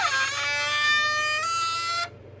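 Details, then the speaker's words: Three-year-old 12 V backup battery in an access control system, not the 18 V AC transformer first blamed: loud, steady buzzing whine creeping slightly higher in pitch; fixed by replacing the battery. "look like the noise is coming from this guy it's very we're never here that before but the noise as a battery"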